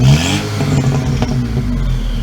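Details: VW GTI turbo four after forged-internals rebuild, start with new downpipe installed: steady low rumble with faint exhaust crackle, idle holding even around 750 rpm without hunting; check engine light on for a broken valve; normal idle.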